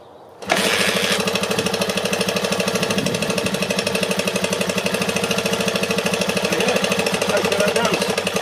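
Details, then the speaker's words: Restored barn-find Honda XR250R single-cylinder, stone cold start, petrol on, full choke: catches at once and settles into quick, even thump around three beats a second; healthy cold idle after 8-month restoration. "So, going to start it up. It's stone cold at the moment, so it might take a few. Petrol on choke on."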